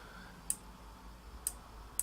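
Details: Shimano 4000 Baitrunner reel, light rear tension set for carp fishing: three sharp light clicks at uneven pace as line pulls off; baitrunner freespooling properly.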